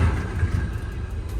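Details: Drag race car at the dragway showing oil pressure spikes, cranked to check for a damaged bearing. A short burst of even low rumble with no dragging or uneven slowing: it seems to spin over freely, normal cranking.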